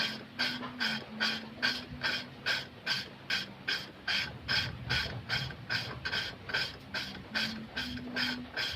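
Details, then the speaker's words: Manual valve lapping, no electric drill, valve turned one way only: regular gritty rasps about two and a half a second as the valve grinds against its seat with compound; the rasp fades as the surfaces smooth, then diesel or petrol is added. "Hai kayak gini terus-menerus sampai terdengar suaranya hilang kalau suaranya sudah terdengar hilang baru teman-teman bisa kasihkan solar atau bensin dipermukaannya sedikit kalau suhu suaranya sudah agak mengecil ya berarti tandanya obat syukur itu sudah menghalus ok"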